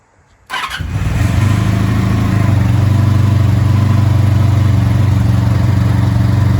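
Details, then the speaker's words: Vintage motorcycle started with choke on using a new NOCO NLP14 lithium battery after its old battery could not start it: fires instantly and settles into a strong, even low idle; normal start and idle. "that new battery it started in the blink of an eye all right test number one complete success"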